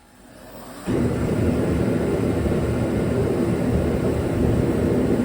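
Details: Dynaglo Pro 75,000 BTU kerosene torpedo heater RMC-KFA75TDGP, which had sputtered and would not stay lit, firing up after its cracked fuel and air lines were replaced: it catches at once into a steady, even roar without sputter or surging.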